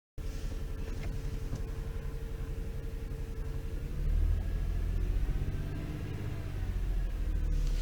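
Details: Toyota 3.0/3.3 L V6 idling with an uneven, lumpy beat and heavy low rumble, shaking enough to vibrate the steering wheel, with a flashing check-engine light. This is a misfire before the VVTi oil control valve was replaced; cleaning the valve did not fix it.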